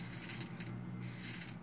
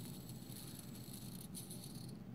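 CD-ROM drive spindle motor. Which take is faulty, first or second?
second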